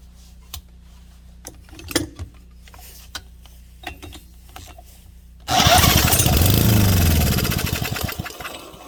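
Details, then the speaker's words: Small Honda engine pulled from a scrap pile, stiff to turn (owner suspects it was run low on oil or a tight valve guide), catches with a rough sputter after quiet clicking, runs about three seconds and fades; fair compression, it will start. "Oh yeah. Oh yeah. It'll go. Blew a bunch of crap in there. It'll be fine. So we've got life."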